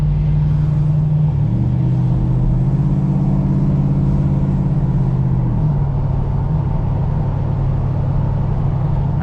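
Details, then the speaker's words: 1986 Oldsmobile Cutlass 442 (G-body) V8 just after fitting an eBay-rebuilt Quadrajet carburetor, following a cold start after sitting weeks; deep even rumble, brief smooth rev settling to steady idle; owner says it now runs smoother, more responsive, sounds more aggressive; normal running. "I'm imagining it, but I feel like the car just runs better, smoother. Feels like more responsive. It's crazy. It's like a whole different car."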